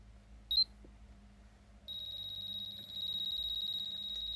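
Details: Cloud Nine hair straightener that was not heating gives a short high chirp then a steady shrill beep when turned on; a burnt-out heating plate on one side was diagnosed and replacing it fixed the fault.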